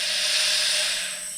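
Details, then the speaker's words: Ducati 1198 engine on the bench with belts removed, leak-down test with the cylinder pressurized: steady high, airy hiss as the inlet valve is rotated onto the cam ramp and opens slightly. Air leaks past the barely open inlet valve. "and that's valve open. But it doesn't take a lot of valve opening to give you a whole lot of leak down."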